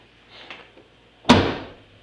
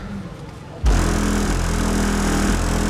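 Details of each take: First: 2005 Chevy Impala trunk lid after fixing a rattle with felt pads, wire and stuffing: one firm, deep thud with no hollow ring or trailing rattle; the lid now shuts solidly. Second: 2005 Chevy Impala driving after a trunk rattle fix with felt pads: a steady road and engine drone with a faint loose tapping from the rear every second or two. The owner suspects the licence plate and uncaulked tabs under the bumper.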